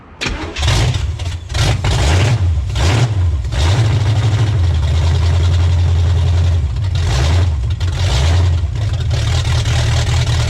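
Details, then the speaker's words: 1985 Pontiac Trans Am 5.7 350 small-block Chevy, not run in 7 years, open manifolds, cold: starter cranks briefly, then V8 catches into loud lumpy but steady idle with throttle blips; idle screw raised to hold idle while warming. "open manifolds on this though insanely loud Okay so I just did the idle screw to let it idle a bit higher while we get it warm and hope to see you know hope it will actually idle on its own"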